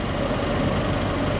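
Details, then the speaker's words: Flooded Mercedes at a salvage auction, just started with clean oil: steady, rough idle with a light, fast ticking chatter. Suspected top-end chatter before oil pressure builds, possibly from ingested water. "that chattering sounds like top end chatter and if it's got any uh if it's got any uh water in it that will definitely cause it"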